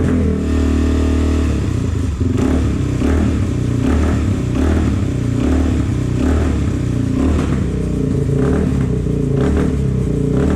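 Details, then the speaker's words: 2004 Suzuki DRZ400S after sitting, carb cleaned with new fuel screw o-ring, on choke with idle raised: revs hang and drop slowly with irregular pops and backfires, running very lean. "Sounds even worse. You hear that hanging idle and backfiring? It means it's running really lean."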